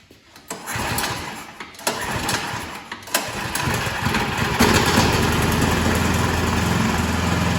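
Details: Troy-Bilt 2665 snow blower (model 31AM6CP3723) after draining possibly water-contaminated fuel and rebuilding the carburetor: a few sputtering pulls after the choke is taken off, then it catches and settles into a steady, even run.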